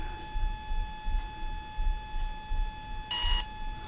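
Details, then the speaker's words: Volcano 30A brushless ESC for a 450 RC helicopter in programming mode: a single short high beep over a faint tone, the point where the cutoff threshold is set to low. "so the cut off threshold for low cut off threshold is one beep i'm gonna wait till it has one beep then i'll raise it back to the top"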